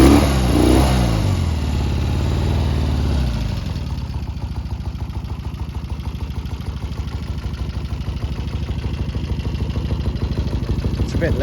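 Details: 1972 Triumph Bonneville T120V 650cc twin, 26,729 miles, just kick-started: settles to a slow, uneven thumping idle, lazy when revved; rough running, owner suspects carbs need cleaning and probably a set of points.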